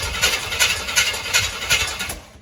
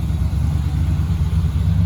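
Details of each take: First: 1966 Chevy truck with a non-factory big block and Edelbrock carburetor, cranked after sitting, with fresh gasoline and a rough carb: slow, even cranking beats about three a second that catch roughly, firing up. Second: 1966 Chevy truck big block with Edelbrock carburetor, running after gas was poured into the carb because it was not filling: low burbling idle with a slight lope and no knocks or misses; normal running.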